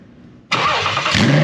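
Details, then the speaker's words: Nissan 370Z VQ37 engine with six-speed manual, on a homemade pallet mount for a Datsun 240Z restomod, first start after bypassing the faulty park/neutral switch signal to the ECU: catches instantly, then a clean, even rev with no misses. Normal start and rev. "but we got it running that's the cool thing it runs it starts"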